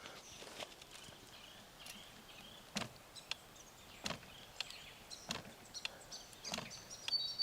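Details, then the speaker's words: Fox Live Valve 1.5 mountain bike suspension during a simulated climb: quiet, sharp single clicks about every second over faint outdoor hiss, the normal latching solenoid opening or closing the valve for the terrain gradient. "now what you want to listen for here is a clicking noise which is the latching solenoid opening or closing the valve depending on the gradient of the terrain"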